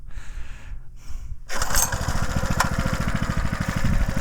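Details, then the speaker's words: Homemade mini tractor with 6.5 hp Harbor Freight Lifan engine, started on choke after float bowl refitted: catches on the first pull and settles into quick, even thumping with no misses; healthy small engine. "I got that idle set down. Woo! She's a runner."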